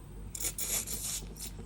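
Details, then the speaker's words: Vaillant ecotec boiler expansion vessel being pumped up: short bursts of sharp, thin hissing as air leaks past the failed Schrader valve, confirmed bubbling with leak detection fluid; the valve core was then replaced. "we go, bubbling like a good one. So it was actually, you could actually hear it."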